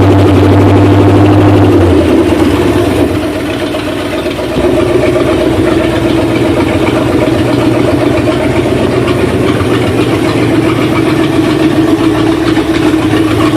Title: 77 F150 351M first rough idle/rev